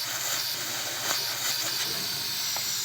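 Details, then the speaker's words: 1970s GE lunchbox-style refrigerator compressor bench test: strong steady hiss of air blowing from the discharge line, no knocking or rattle; compressor pumping well. "Wow, it's blowing quite a bit of air out that."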